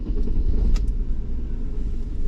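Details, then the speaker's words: BMW E34 with Metric Mechanic 3.7 L stroker M30 engine on a new standalone ECU, fuel map leaned out: engine catches at once and settles into a deep, even rumble, idling near 15 AFR; healthy start. "Oh, yeah. It starts up very nicely."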